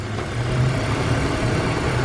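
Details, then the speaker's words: BMW idling just after clearing two system-too-lean codes (bank 1 and bank 2): steady, even low hum with no ticks or knocks; owner hears slight misfire-like unevenness while computer relearns, otherwise a smooth, healthy idle. "So I hear it almost kind of misfiring, but that usually happens with a BMW when you just reset the codes by the time the computer kind of learns the way it should operate the engine. But out here, she's purring. I don't hear any funny noises."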